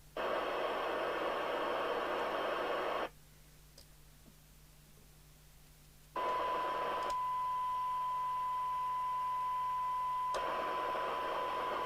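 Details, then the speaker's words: 1981 JWR M2 CB radio receiver during service: steady speaker hiss cuts out about three seconds then snaps back; intermittent fault suspected dry joint, corrosion seen around MC3357 squelch chip pins. "it's probably bleed over from 24 miles away so we'll switch the signal generator back on we've actually got a dry joint somewhere"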